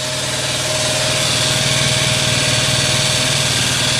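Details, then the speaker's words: GY6-type scooter sitting for years, first start before valve adjustment: idles steadily with loud fast valve clatter about four a second, smoky exhaust, burning oil; valve train chatter, owner suspected it needed valve adjustment. "oh yeah as I suspected it needed a valve adjustment pretty bad listen to that that's some pretty bad valve noise"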